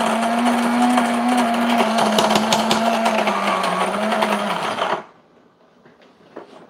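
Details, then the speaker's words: New Breville Grind and Brew coffee maker grinding beans: steady mid-pitched whirr with light crunching for about five seconds, then a clean stop; normal burr grind. "but it's definitely grinding the coffee we can hear it grinding the coffee"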